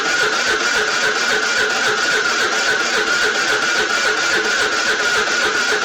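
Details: Scooter cranking with a weakening battery: steady even cranking pulses about four a second, turning over slowly but never firing; slow crank, no start, weak battery suspected.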